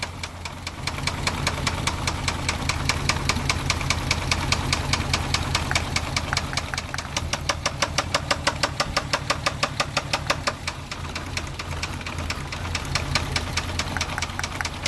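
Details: Volkswagen Jetta Mk4 VR6 running: rapid steady metallic knock; owner suspects spun bearing, unconfirmed.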